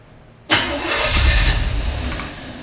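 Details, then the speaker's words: Chevy 5.7 SBC in a 1980 Camaro, first start, with the distributor turned to its maximum advance. It cranks briefly, catches hard with a sudden roar and runs rough; the owner says the timing is far too advanced. "all right there it is just so advanced why is it so advanced this is as far Advanced as I can get it to go"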